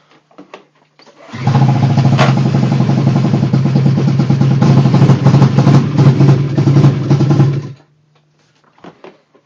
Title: Rough idle